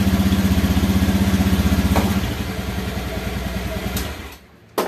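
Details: Single-cylinder motorcycle fitted with a DIY relay anti-theft alarm, idling normally: an even putt of about four beats a second before it shuts off.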